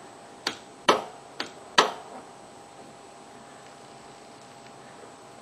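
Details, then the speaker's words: Click-type torque wrench tightening the oil drain plug on a Kawasaki Ninja 250 during an oil change: sharp, dry clicks showing the set torque has been reached. "clicking. That means it's set."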